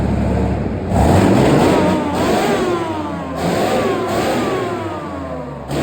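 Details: Replacement engine for a Chieftain tank, first test run out of the vehicle: climbs and falls smoothly through several revs with an even, steady note between them; idles beautifully, runs clean and healthy.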